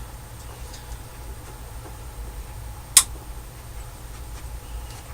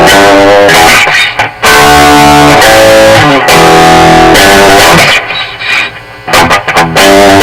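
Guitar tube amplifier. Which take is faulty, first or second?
first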